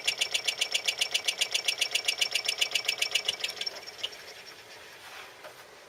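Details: Newly bought RCA SKT-400 CED videodisc player making quick, even, high-pitched mechanical clicking chatter that runs steadily then stops; owner unsure if normal, cause unknown.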